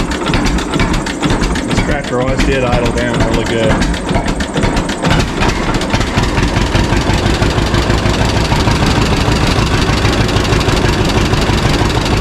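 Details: 1952 John Deere G two-cylinder tractor just started after about four years stored, after refuelling the correct tank and fixing leaks; slow loping pop, a bit ragged at first, then settling to an even low beat: normal idle, idling down nicely.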